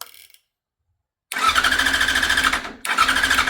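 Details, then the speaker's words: Yamaha YZF R6 motorcycle crank-no-start: starter spins engine in two even bursts but it never fires, no fuel pump prime buzz at key-on; failed fuel pump, relay also suspected. "I hit start button at his house, and the thing's spinning over, but you never hear the pump prime. You know, even you turn the key off, back on, you should hear it."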